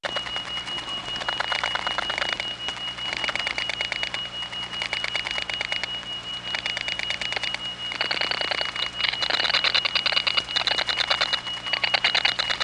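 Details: Rapid rhythmic switch clicking and a steady high tone bleed faintly onto a line in a step-by-step environment (1976-1981 analog network): crosstalk from other trunks, caused by capacitive coupling of wire pairs running side by side for miles.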